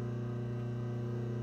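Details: Vintage Delco 1/3-hp electric motor after restoration, with contacts cleaned and centrifugal and thermal switches checked: smooth, steady hum with an even tone and no knocks or scraping; motor runs clean and healthy.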